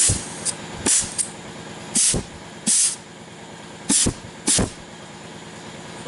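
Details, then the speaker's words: Air check on a rebuilt Chevy 6L80E/6L90E transmission that had lots of metal, done before the valve body goes in: short sharp compressed-air bursts, each with a quick apply thump as the clutch pack engages; the clutch applies normally. "can hear that applying and waiting to that air conditioning two three careful okay it went off"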